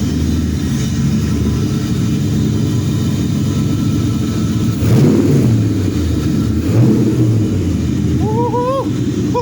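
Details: Nissan G35 with VH45 V8 swap, first start after three months, no cooling connected so run briefly under a loud blower fan: steady V8 idle with clean rev blips rising and falling smoothly; runs healthy.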